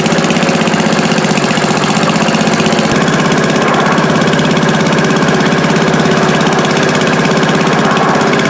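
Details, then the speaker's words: Old Stone concrete mixer, small single-cylinder engine with no clutch, after greasing, first run needing choke; chugging steadily at a fast even beat, no misses or knocks; normal running. "I'll try to start it up now. We can listen to it run for the first time. And hopefully it does run."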